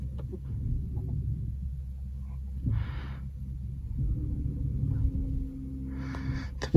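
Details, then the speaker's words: Chevrolet Volt after cleaning, greasing rear caliper slides and pads: reversing with light braking, only low rumble and soft pad brushing, rear brake squeal gone. "ось тільки звук залишився роботи колодок все тепер колодки не скриплять Все тихенько"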